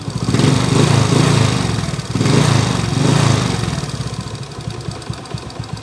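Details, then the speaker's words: 2017 Suzuki Smash 115 timing-chain engine: rough, heavy uneven knocking idle, about four thumps a second, with strong vibration like something fighting inside the engine; crankshaft runout. "yung 2017 model boss an parang k na rin toang may nagkakalaban sa loob oh masyadong ma- vibrate na"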